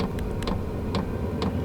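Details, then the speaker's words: New Vevor diesel heater just after startup, glow plug having drawn about 200 W before dropping to about 20 W: crisp even fuel-pump clicks about twice a second over a low fan hum as the fan speeds up; pump ticking normally. "There's the fuel pump. You can hear that ticking away, and I can hear the fan starting to increase a little bit."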